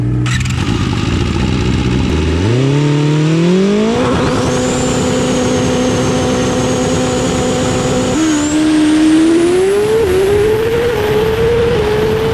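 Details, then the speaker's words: 2014 Yamaha R6 with aftermarket exhaust, stock untouched ECU before flash, idling then revving: rev climb stalls and flattens midway before picking up, hesitation in the throttle; tuner suspects a very lean air-fuel mixture, not yet confirmed. "alright guys let's get this thing fired up and get this kind of let you hear it one here in Idol so you can hear the hesitation in the throttle we're gonna try our best to fix all that stuff"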